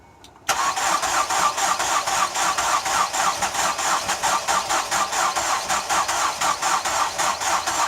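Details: Ford Escape cranking: starter turns steadily at about four beats a second for eight seconds but the engine never fires, and the vehicle caught fire during the attempt. Crank, no start.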